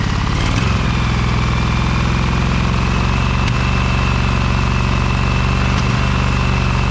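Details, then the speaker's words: Little Wonder hedge trimmer, Briggs Vanguard 23 hp V-twin, after primer bulb replacement and carburetor clean, low throttle with brake on: low even idle, steady firing beat, no misses, knocks or surges; runs nicely now, normal idle. "So how about that, fellas, huh? That engine really runs nicely now, huh?"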